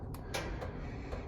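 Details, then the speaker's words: Wood stove fire of paper, cardboard and wood with good flame spread: sharp irregular ticks, about five in 1.5 seconds, over a low fire rumble as stove metal heats; normal expansion ticking. "we hear that clicking that's the stove heating up"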